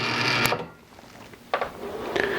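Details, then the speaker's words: Two identical contactors, coils about 12 ohms each, in series on a ~26 V transformer, each getting only ~13.5 V. They buzz, rattle and click, chattering because the voltage is too low to pull the contacts in. "now you can hear they're chattering all right there's not enough voltage there to pull these contacts in"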